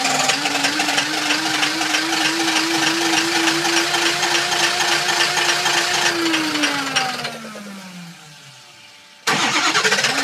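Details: 2005 Ford 6.0 Powerstroke diesel box truck, ScanGauge II monitoring ICP, IPR, FICM power and sync: ICP builds enough to start, and it runs briefly at a steady pitch, then the tone sinks and it stalls; cause unknown.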